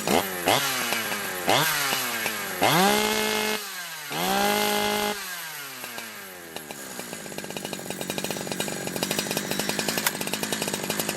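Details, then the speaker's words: Holzfforma G372 XP chainsaw, warm, after crank seal replacement to cure a tune it wouldn't hold: a few throttle blips, then a steady even idle with no hunting. The new seals fixed most of the air leak; the other side is still to be done. "uh okay I think that fixed the majority of the leak issues"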